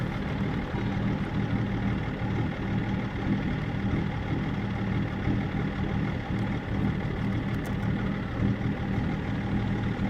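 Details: BMW E39 530d diesel, rough idle being checked with INPA values: deep, slightly uneven idle drone that wavers in loudness; rough idle, cause unknown.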